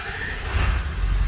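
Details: 2001 Ford F-550 7.3L Powerstroke diesel, after ICP sensor replacement for P1247 low boost code and Hydra PHP tuner install; engine catches and settles into a deep steady rumble, no knocking, clean start.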